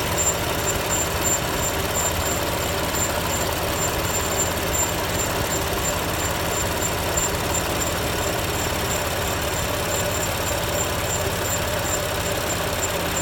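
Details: BMW M4 engine running with a thin, high chirp repeating several times a second in time with rotation; a squeak whose source is not identified.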